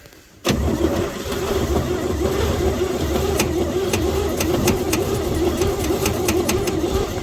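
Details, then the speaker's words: 1949 Chevy truck on a cold start attempt after sitting 24 years: the starter spins steadily but it never runs, and the fuel pump isn't drawing fuel from the can. Owner considers an electric fuel pump. Crank, no start. "That's curious. Fuel pump still hasn't even tried. I lifted the tank up so that hopefully it would gravity more, you know."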